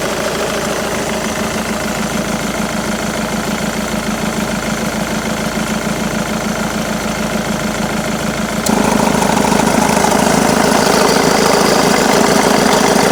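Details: Jaguar X-Type 2.2 diesel (QJBA, 155 hp, 2005–2010) at idle: steady regular clatter, then the note jumps louder and harsher when the A/C engages; engine noise with A/C on, cause unclear.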